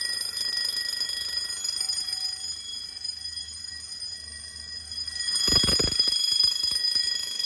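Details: Home-built Fire-Lite MS-9200UD fire alarm system after a bedroom pull station is pulled: steady, shrill continuous-coded bell ringing with a clattery burst near the end and relay clicking from the Simplex SmartSync module. Fire alarm bells sounding in general alarm.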